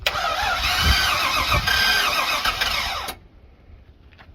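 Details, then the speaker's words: Box truck with low compression, being tested with engine restorer: starter cranks evenly about four turns a second with brief catches that never run; cranks but won't start. "Sounded like it was gonna actually maybe fire off. Yeah, it did for a second there."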